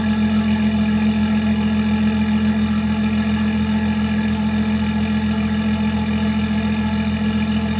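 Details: BMW X5, downpiped and believed tuned: cold start idle, steady even deep exhaust drone, no knocks, misses or hunting; runs smoothly.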